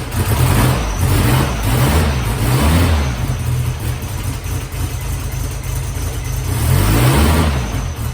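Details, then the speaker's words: Freshly built air-cooled flat-four in a 1972 VW Bug, start in neutral: even chatter rising and falling with light throttle blips, no knocks; healthy engine. "That sounded like a bug engine though, didn't it? That's always Gives you a little sigh of relief there when you actually hear it run."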